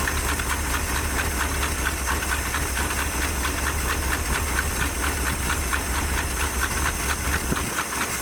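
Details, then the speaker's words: 1977 Dodge D150 Adventurer 360 V8, first start after sitting 12 years: lumpy idle stumbling about twice a second with hissy exhaust chuff and smoke; owner suspects chewed-up plug wires, running on 6-7 cylinders. "I think we might be dropping a couple cylinders here and there. We're gonna let it clear out a little bit. Yeah, it's running on like 7 or 6 cylinders right now."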